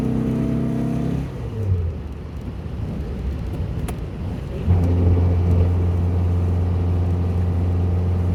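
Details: 1967 VW Bug after fuel-leak repairs, recorded from inside the car while driving, following street and freeway driving; smooth steady drone that drops as the car slows and picks back up evenly, no misses: normal running.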